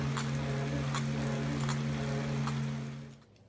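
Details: Tacx Neo trainer drivetrain squeak persisting after the recommended repair: a steady low hum with a sharp high squeak about every three-quarters of a second as it spins.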